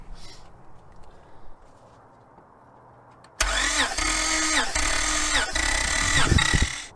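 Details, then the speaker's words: 2005 Honda Pilot after a broken timing belt was replaced, during a compression test; cranking has an uneven, lopsided beat from cylinder six at zero psi, with cylinder three also low at 70 psi. "there's a a major outlier on cylinder six obviously with zero psi and you can actually hear that I when I was being turned over the lacked any pressure"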